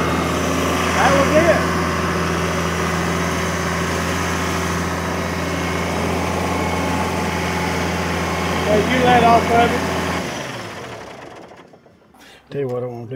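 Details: 1997 Kershaw Klipper right-of-way trimming machine, diesel, 27 years old, starting after sitting: steady, even diesel idle with a smooth low drone for ten seconds, then it winds down and stops; idle sounds healthy.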